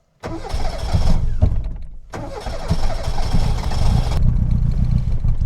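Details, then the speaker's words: Reliant Robin MK2 Anniversary Edition, held with a little throttle: cranks, then catches and runs rough and uneven, not firing on all four cylinders at first before settling; hard start, owner suspects timing. "She's not firing on all four cylinders straight away. There we go, she's kicking in. So, that's something I want to address first because I'm not happy with how hard it is to fire up."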